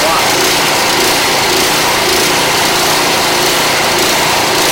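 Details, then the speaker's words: Craftsman 179cc 24-inch two-stage snow blower (model 247.881721). The single-cylinder engine runs fast and buzzy with an uneven beat, hunting instead of holding speed. The surging persists even after warming up. "so this thing surges so look the person who's trying to talk to me was trying to mask it tell me that the engine needs to warm up"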